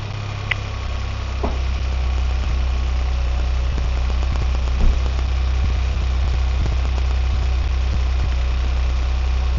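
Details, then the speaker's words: Hyundai Venue 1.0 turbo petrol manual, 120 bhp, just back from service: at cold-start idle there is a coarse, tractor-like clatter with light ticks that gradually fades as it runs; cause unclear. "இப்ப அந்த sound வந்து நீங்க கேட்டிருப்பீங்க அப்படின்னு நினைக்கிறேன் engine வந்து gold ஸ்டார்ட்ல ஒரு மாதிரி கிருன்னு ஒரு சவுண்ட் வந்து கேட்டிருக்கும் ஹைட்லிங் ஸ்பீட்ல"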